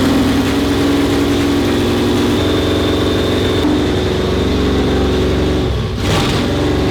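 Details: 1972 Holden HQ, original 308 V8, restored, running after cam and crank timing were corrected and before dynamic ignition timing and carburettor tuning: lumpy, even idle with a short rev blip that settles back; steady, normal idle.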